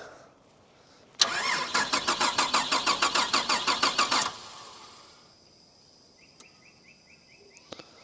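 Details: Holden VR Commodore manual project car with no injection: starter spins the engine at an even, brisk rhythm for about three seconds with no firing; crank no start, problem then found to be the BCM.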